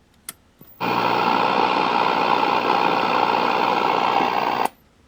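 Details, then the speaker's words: 1974 Sony Trinitron KV1212 portable colour TV, powered without a dim bulb: a loud, steady, overloaded hum for about four seconds, then the breaker trips and it cuts out; the flyback is suspected bad. "It ran for a minute and then it popped the breaker. So like anybody, I'm going to reset the breaker. and then it blows the breaker. But it is working. So if you listen to the sound of the audio, you can just hear that it's way overloaded by the"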